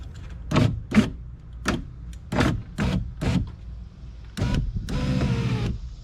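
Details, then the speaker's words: GS power window after replacing the regulator and motor assembly: motor whirs in short repeated bursts that keep stopping, then one longer run; the longer of two different-length bolts was put in the wrong spot and the window hits it. "so as I can see these two bolts are two different lengths okay and I put the longer one in this spot which was I was hitting right here and you're not supposed to hit there and I was hitting because like I said the bolt was too long"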